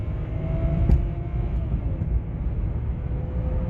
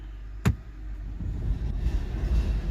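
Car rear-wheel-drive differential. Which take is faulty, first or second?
second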